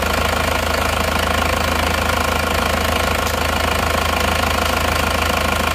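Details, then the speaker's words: Newly assembled diesel engine just started after rebuild: even clatter at about two hundred beats a minute, steady and smooth, no puffing or chuffing, no longer smoking; normal healthy idle. "Alhamdulillah hidupnya rata suaranya halus kita gas-gas dulu dan yang penting lihat ini sudah engak ngobos lagi"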